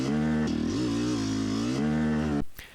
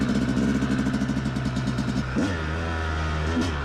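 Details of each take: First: Yamaha YZ250X two-stroke on a hill climb: strong on the pipe, then pitch abruptly sags dropping into the mid-range as the sticky power valve slips off its held-up state; no mid-range power, later fixed. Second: Yamaha YZ250X two-stroke after fixing its sticky power valve, started from dead cold on choke and riding: crisp buzz climbing cleanly through revs and shifts, no bogging or flat spots; normal running, issue solved.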